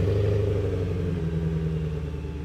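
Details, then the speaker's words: BMW E90 M3 (S65 engine) cold start after the DME cold-start delete flash. The engine settles right away into a steady 600–800 rpm idle without hunting or loud noise; the misfire codes and rough idle are gone. "The engine speed stabilizes at around 600 to 800 rpm right away. No crazy fluctuation, no crazy loud noise and no more misfiring codes."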